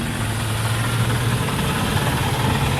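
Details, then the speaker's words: 2001 Chevy Silverado K1500 4x4, 4.8 L engine, restarted at idle with the belts back on: rough, busy idle with a steady low rumble and rattly chatter, identified with the belts off as the AC compressor chattering. "that sound that you hear is an ac compressor that's like kind of chattering noise"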